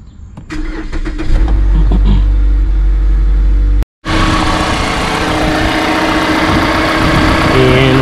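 Engine catches and settles into a steady, even idle with a smooth hum and no misses or knocks. Sounds healthy.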